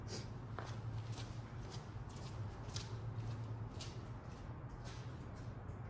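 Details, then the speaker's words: 1987 Volvo 240 GL wagon, first start after sitting an estimated 5+ years, fuel line flushed: smooth, even low rumble idling around 900 rpm with no knocks or misses; normal idle. "so dang that is smooth whoa look at this she's idling right around 900 that's not bad"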